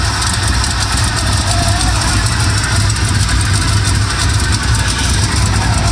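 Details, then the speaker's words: Chevy K5 Blazer squarebody V8 with headers and a swapped distributor, idling after a fan replacement: light, fast ticking in step with firing over a steady idle, an exhaust leak at the headers. "well it's spinning got an exhaust leak over there well I got headers"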